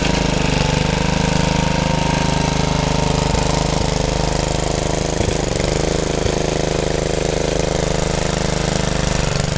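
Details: Rebuilt Troy-Bilt tiller under tilling load: loud, steady single-cylinder chug bogging briefly as tines bite then recovering cleanly; owner saw heavy smoke under heavy load and suspects blow-by past the rings.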